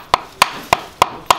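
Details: Kia Grand Carnival engine bird-like squeak complaint; new genuine Kia damper pulley struck for comparison: five crisp, solid knocks about a third of a second apart, clean with no rattle; sound, healthy damper pulley, unlike the worn original.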